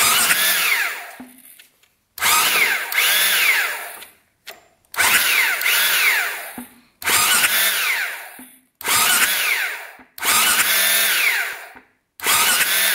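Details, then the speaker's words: 2001 Husaberg 500 supermoto (originally a 400, with a 500 engine swapped in), sitting about 15 years; six electric-start cranking bursts turn it over steadily without firing and no spark shows; owner suspects the plug boot wire or spark plug. "So that's not good. We're not seeing any spark here."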